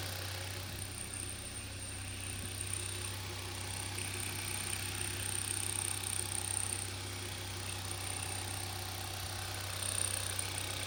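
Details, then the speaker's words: 2012 Hyundai Veloster 1.6 turbo G4FJ, first start after engine teardown and rebuild for knocking: even smooth idle, no knocking heard. "the first starting is good and I'm really happy with that sound oh good I'm happy"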